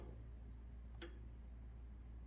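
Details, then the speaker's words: 1968 Ford F100 with an app-controlled relay module, engine off: two sharp, crisp relay clicks about 1.3 seconds apart over a quiet low hum during a relay test, normal operation. "so we're going to go ahead and test our relay you can hear it clicking in"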